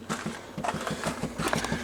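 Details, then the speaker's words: 1993 Chevrolet 3500 wrecker, 5.7 350 TBI, first start in years, key on, engine off: fast, even clicking about six times a second from the dash heater; owner suspects a blend door making noise. "it's got a blend door or something that's making noise on that heater in there"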